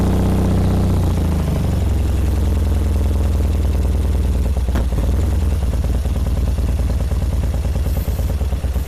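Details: 1978 BMW R100S twin after sitting for years, on new plugs with the choke on: lumpy, loping uneven idle with clatter, one side barely firing. Fuel starvation; left Mikuni TM38 carb passages suspected blocked by gummy gas.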